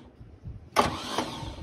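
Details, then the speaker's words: Long-abandoned 1949 Chevy Fleetline, all electrics disconnected except the starter: a click, then a light fast whir that fades with no engine turnover; starter spins but doesn't engage the crank, missing flywheel suspected, not confirmed. "or is working but it's not engaging the crank"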